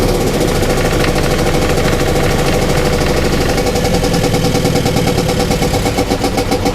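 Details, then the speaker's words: Rescue car engine running loud and uneven with lumpy pulsing, not a clean knock; owner thought it sounded like a miss, later smelled coolant dumping and suspects blown head gasket, unconfirmed. "it's an interesting noise it's not really like a a knock it's I don't know almost sounds like there's O2 missing or something"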